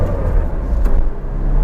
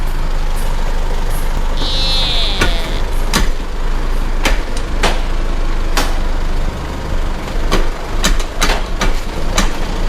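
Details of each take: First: Isuzu MU-7 after repair, a previously unserviced vehicle that clunked from the centre of the driveline under hard acceleration and shook at speed (cracked universal joint suspected): now low, even engine and road rumble under hard acceleration, no clunk or knock. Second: Isuzu MU-7 driveline clunk: sharp metallic clunks under a low idle rumble as the truck is rocked, heard from the middle; customer reports jerking with noise when driving, never serviced; suspected broken universal joint.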